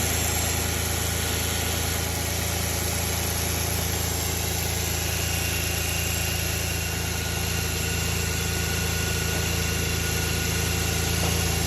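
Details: Audi A6 4F 2.4 L engine at steady idle with an even pulse of about three and a half per second over a constant hum; an odd engine noise, cause unclear.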